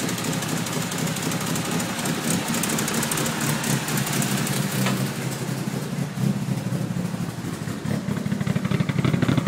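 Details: Mitsubishi Evo 1 4G63T, fully forged, 264 camshafts: lumpy, loping idle with uneven chop and hunting rhythm; rough idle from the aggressive cams.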